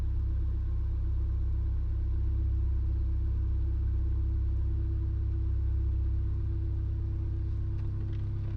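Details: Car that also jerks under load and hard acceleration idles with a low rumble and uneven pulse, about three or four stumbles a second; missing at idle, cause not yet found.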